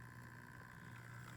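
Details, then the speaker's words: Hornby Tornado Express model locomotive, repaired after arriving broken, running in reverse. It has a big flywheel and track in poor condition. Steady, even motor hum with a constant whir and no surging; runs smoothly. "in reverse it's actually quite smooth it has a very big flywheel so i'd hope it'd be as smooth as it's now"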